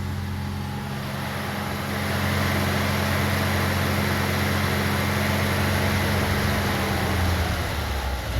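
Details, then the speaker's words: 1982 BMW 320i warming up after fuel system rework: steady low drone, then the note sags and wavers after pushing the gas pedal past a point, as if about to stall; stumbling idle after throttle, cause not pinned down. "okay so when I push the gas pedal past maybe that it it wanted to"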